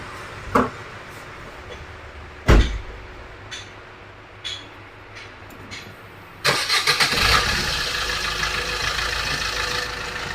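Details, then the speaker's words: Maruti Suzuki Ciaz jacked up, engine started and right front wheel spinning: steady rumbling growl over idle, much louder than the left side; worn right front wheel bearing to be replaced. "अभी आप यह sound सुन रहे हो ऐसा ही sound आपने उस side का उस ल को भी हमने घुमाया था लेफ्ट साइड के उसमें ऐसा साउंड नहीं था इसमें हथ से ज्यादा साउंड है में हमें बेरिंग चेंज करना पड़ेगा"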